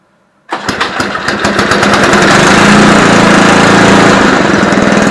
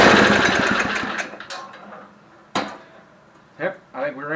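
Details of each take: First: Barn-find Homelite Jacobsen Imperial SNO 524 two-stage snow blower with 5 hp Tecumseh engine, first pull start with choke on: catches and runs with a crisp, even beat for about six seconds, then winds down, likely out of fuel; starts and runs fine. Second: Barn-find Homelite Jacobsen Imperial Sno 524 two-stage snow thrower with a 5 hp Tecumseh, pull-started on choke: rough chatter that dies within about two seconds. It runs briefly then stalls; running out of fuel was mentioned.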